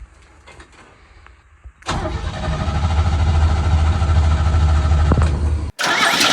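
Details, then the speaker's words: 1970 International Harvester Scout 800A: starter whirs, engine catches and runs roughly a few seconds, then cuts out; owner attributes it to a rat's-nest wiring harness, planned for full replacement. "She just won't stay running. And after I saw this rat's nest, it became apparent what the problem is."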